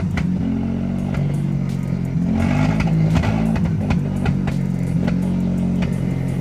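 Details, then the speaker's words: Mazda RX-7 FB GSL-SE rotary, first start after sitting about 16 years, throttle held: loud, uneven drone with wandering throttle and lumpy pulses, smoke, slowly clearing up and smoothing out; rough running after long storage. "wow it's starting to clear up it's clearing up it's not as bad"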